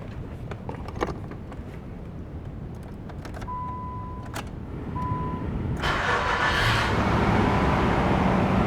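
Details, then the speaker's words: Nissan Xterra 4WD, 158,000 miles, fresh battery fitted: door chime, quick crank and instant catch settling into a smooth steady idle; starts and runs healthy, AC cold. "No issue starting up. AC's cold."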